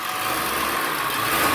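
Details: Ford E350 7.3 Powerstroke turbo diesel bus after new injectors, sensors, turbo up-pipes and fuel filters, and fixing a fallen-off fuel pickup screen in the tank: even, steady idle with no stumbling or surging.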